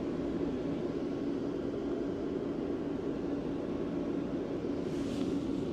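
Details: Diesel air heater: a steady, even rushing hum with a mild low drone and no knocks or surges as the burner and fan run smoothly. Normal diesel air heater operation.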